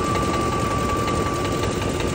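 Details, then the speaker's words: 2004 Ford F-150 5.4L 3-valve Triton with new remanufactured engine and replaced camshaft phaser: after running a while, quick steady ticking over the V8 idle with a thin whine, heard from the bottom side; ticking at idle, cause unconfirmed. "You guys hear that? Ticket, ticket, ticket, ticket, ticket, ticket, ticket. I don't know. Not too thrilled about this thing."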